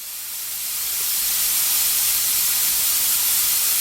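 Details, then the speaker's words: Home-built CNC minimum quantity lubrication system at start-up pre-lube: steady hard hiss of air and oil mist lasting too long, delivering too much lubricant as a mist cloud; pre-lube high-flow time set too long. "So I'm not completely happy with the pre-lube at the start of the machine cycle, because it's actually delivering far too much lubricant."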